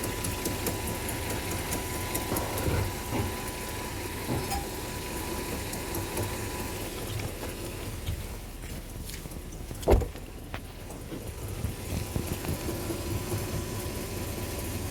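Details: Mercedes W124 500e V8 at cold idle, a minute after startup, lasting a couple of minutes and never when warm: low, rough idle with faint irregular knocks. Owner suspects torque converter, flexplate, rod or piston.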